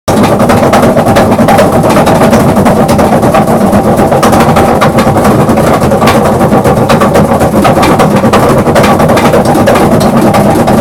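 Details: Maytag 3000 series washing machine running with loud, rapid, continuous banging and rattling far beyond normal operating noise.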